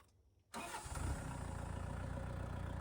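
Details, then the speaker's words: Tractor diesel started and idling, phone decibel-meter test with microphone on a tripod, canopy removed: quick crank, fires right up into a low, steady, even chug; fairly quiet, healthy start and idle. "Here we are at idle. Tractor's fairly quiet."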